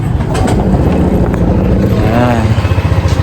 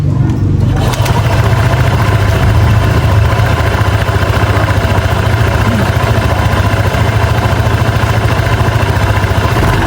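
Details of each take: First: Honda PCX 150 scooter at idle: uneven clattery low rumble from the CVT; before repair. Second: Honda PCX 150 scooter after CVT repair for noisy drive: smooth start and steady even idle, belt rattle from the transmission gone.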